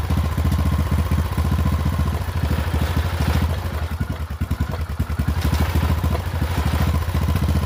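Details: Poulan XT 12538 riding mower, 12.5 hp single-cylinder, 38-inch deck, carburetor had leaked fuel into crankcase and been replaced; fast, slightly uneven thumping idle, runs rough; owner suspects valves out of adjustment, unconfirmed.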